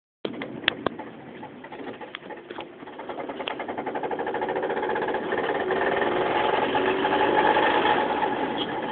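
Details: 2005 Mazda 3 while driving, after a burnout failed a connecting rod bearing and broke the rod: a hard, regular knock of three to four a second pounds through the engine, with power lost. Rod knock.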